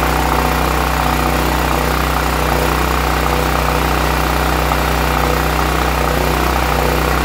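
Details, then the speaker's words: Brand-new Westinghouse WGEN9500 generator that surged on bad gas, after the old fuel was evacuated and replaced with fresh gas: an even, steady hum at constant speed with no rise and fall in revs. The surging is fixed. "and there we go ladies and gentlemen that fixed our problem"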